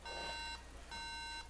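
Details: MacBook Pro at power-on with no video: repeating sets of three high half-second beeps with short gaps, no startup; suspected RAM fault, unresolved by two key-combination resets before RAM cleaning.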